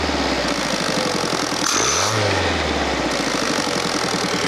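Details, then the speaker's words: Fiat Panda 4x4 Sisley converted from carburettor to throttle-body fuel injection: revs fall on overrun with fuel cut, note dips and rises once as fuel returns below a certain rpm, then settles to even idle; normal return to idle. "you see that there's no fuel going into the engine and it comes back in when it goes below a certain rpm"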